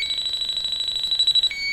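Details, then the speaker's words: Viking Professional wine cooler with three copper evaporator coils, back wall off: the leak sniffer's shrill beeping quickens, then holds one high tone near the coil, picking up freon traces; pressure dropped within 10 minutes. Refrigerant leak detected. "so the pressure is already gone down within 10 minutes so we're picking up traces up here"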